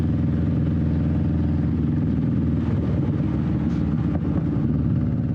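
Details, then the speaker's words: 21-year-old Honda Shadow V-twin riding on a test run with new wheels, after the exhaust baffle was repacked with new fiberglass: steady, deep, loud but smooth rumble, tamer and less raspy than before; normal exhaust note. "really enjoy the way it sounds now I think that the fiberglass did help quite a bit it's a little bit more tame it's not as raspy it has a nice deeper tone to it"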